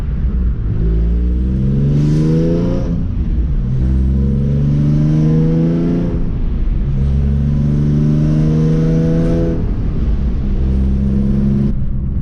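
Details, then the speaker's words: Nissan 350Z exhaust before installing a Z1 Y-pipe: loud, coarse tractor-like drone swelling with revs, far too loud; exhaust leak from the blown flex section of the Y-pipe. "so yeah it's blown so that's i'm installing the z1 white pipe today so let's go i'm excited because this thing sounds like a freaking tractor"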